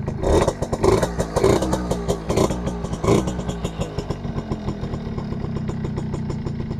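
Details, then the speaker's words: Suzuki RC100 two-stroke motorcycle, started outdoors after cleaning dirty parts, mic held close: crisp crackling engine blips a few times then settles to steady even putter; engine smooth and healthy. "klip suara masih renyah ini guys suaranya masih renyah ini mesin halus"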